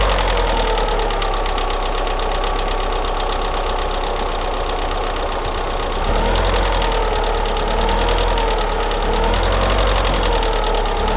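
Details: Opel Astra G X16XEL at cold start idle and low-rpm revving: light uneven tick three to four per second on right side of engine, following revs; mechanics suspect valve lifter wear, cause unconfirmed.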